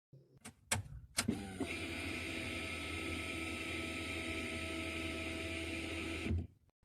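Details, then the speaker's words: A couple of clicks then steady electric hum with thin whine about five seconds before cutoff; a normal brief fuel pump prime as it should sound, used as reference. "On this vehicle, every time you turn the ignition key to the on position, you should hear a brief humming sound coming from the fuel pump, just like"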